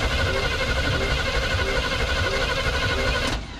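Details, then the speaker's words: Salvage-yard truck with HEI ignition, no power to HEI yet: starter spins fast and even with none of the usual compression beats; no compression. "know what that sound is? No compression."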